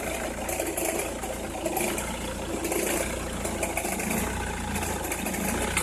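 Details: Opel Meriva, cold engine at idle: scattered sharp crackles and ticks at no fixed rate over a low, slightly uneven idle, only when cold or at very low revs, stops once warm; noise localised to one side, cause unknown.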